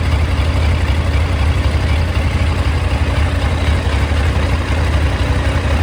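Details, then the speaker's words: 2001 Yamaha FZ1 four-cylinder, warm idle after carburetor rebuild and synchronization: smooth even low burble with steady beat, no misses or hunting; carbs balanced. "yeah i think that's pretty good i think we'll take that"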